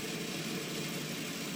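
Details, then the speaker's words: Wagner 5 hp repulsion-start motor from a pipe organ blower, wired for 230 V but run on 120 V: constant dry hiss and rush over the motor hum, no knocking or grinding; ball bearing noise, owner hopes regreasing quiets it. "not nearly as musical as the centuries it's got ball bearings those are a little noisier maybe when i regress them they'll quiet down"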